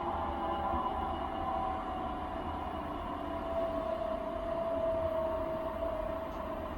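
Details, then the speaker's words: Cool-down cycle after switching off a 5 kW all-in-one 12 V diesel heater on pump diesel, on test, not fully installed, cover off, exhaust and inlet lines unclamped: steady fan hum with a light tone slowly sinking in pitch, no burner roar; normal cool-down. "pressing the off button and i suspect now it's going to go through a cool down cycle to make sure everything"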